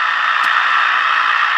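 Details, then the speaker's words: Radio receiver with lithium and NiMH battery chargers, phone and tablet chargers plugged in nearby: constant loud hiss in the upper mids, no tone or voice; receiver swamped by RF interference from the chargers. "so yeah I've got all kinds of noisy RF you know nerve racking it's his creators plugged in right now so we got a really good noisy receiver"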